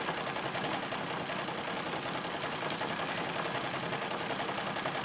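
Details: Singer 66 treadle sewing machine during free-motion quilting: quick uneven stitching ticks with a loose rattling chatter; owner plans to clean lint from the feed dogs and bobbin area and oil it; source uncertain.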